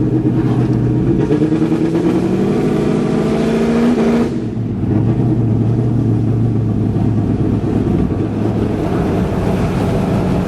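Engine revs up with a rising note, then briefly drops out and stumbles around four seconds before picking back up; a misfire under load.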